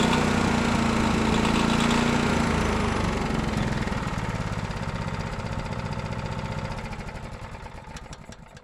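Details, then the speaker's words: Honda GX390 running with parts borrowed from a Predator 301cc, including pull starter and coil: steady single-cylinder thump that slows and fades as it shuts down, with no knocking. Normal running. "all right guys we got that gx390 up and running um i'd use quite a bit of parts for my 301 to get it going like the pull starter doesn't quite fit right at all and then had to use the coil it also don't fit right but it worked and we got to hear that motor run"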